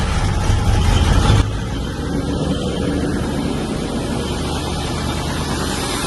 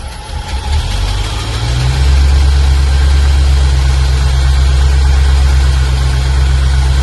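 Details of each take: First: 1995 Range Rover Classic V8, sat over 10 years, after throttle pedal fix, engine at 6°C: catches with a loud burst then drops to a steady smooth idle without stumbling; healthy cold start and idle. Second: 1995 Range Rover Classic V8, sat over 10 years, started on jump pack after new ignition amplifier and ballast resistor fitted: loud heavy slightly uneven lumpy idle suggesting it's still running rich.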